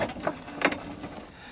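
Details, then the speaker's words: Water-damaged 1997 Honda Fourtrax 300 4x4, rear differential reported shot with visible play, intermittently locking. Rolling backwards gives irregular dry crunches and clicks until gears settle, consistent with worn gears with lash. "when you go backwards until the gears kind of get in the right place it kind of crop crunches a bit i think i think you guys could hear that"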